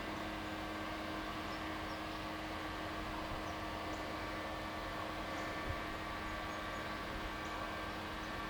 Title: Buzzing Sound Coming From Young's Well Pad 10 11 2013 004